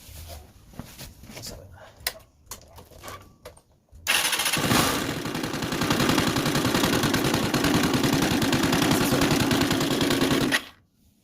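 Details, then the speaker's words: CG 150 motorcycle engine starting and running with a heavy, rattling knock from deep inside, like a stone inside and deeper than a valve noise. On teardown the cause was a broken pushrod. Deep internal engine knock. "vez suena como si tuviera una piedra adentro y ese sonido no es válvula ese sonido Así que vamos a desarmar para ver por qué ese ruido porque ese ruido no es como dije de válvula este más más profundo"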